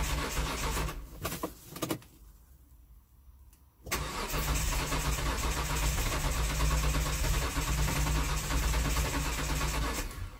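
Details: 2005 Hyundai Santa Fe 2.7 V6 with start-then-stall problem, after new in-tank fuel filter and refitted pump-outlet O-ring, priming: short burst, pause, then steady cranking about four beats a second that never fires. Cranks but no start; fuel pressure regulator to be fitted next.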